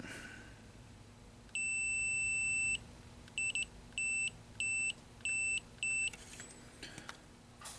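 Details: Multimeter continuity test on a 1983 Bally Midway Discs of Tron arcade PCB after the power supply clicked: one long high beep, then short choppy beeps as probes touch, confirming a shorted capacitor.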